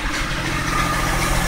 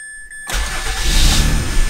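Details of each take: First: 2004 Mazda6 with a 61k-mile 2006 Fusion 3.0 V6 swapped in, air filter not yet fitted: engine idling and revving with a faint thin whine over it; owner suspects a pulley bearing going out. Engine-bay whine. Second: 2004 Mazda6s automatic (221k) with a 61k-mile 2006 Fusion 3.0 V6 swapped in after the original blew. Restarted after the PCM relearned, with the S terminal now hooked up: the starter catches at once into a smooth, steady idle. Normal start.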